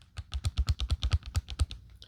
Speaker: that rattle when it's shaken back and forth on the stick picks up in the camera and you can hear it and it becomes a little aggravating and it's a bit disconcerting.